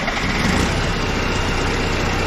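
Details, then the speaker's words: Case 188D diesel backhoe tractor, first start after a year-long rebuild, injector pump refitted, throttle by hand, leak at the pump's bottom plug: low, even, quiet idle clatter with no knocks, misses or rattles; normal idle. "oh my gosh welcome sound inside that is nice and quiet we're just gonna let her idle"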